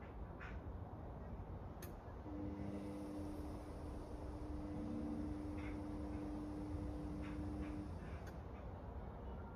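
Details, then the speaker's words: Indesit Innex XWSC61252 washing machine, motor refitted after repair: even motor hum with steady tone, no scraping or knocking; runs normally, though speed dipped noticeably when the high-speed coil activated, cause unknown. "So, that sounds like it was a uh success. For some reason, when it um activated the highspeed uh coil on the motor, it did seem to dip quite a bit."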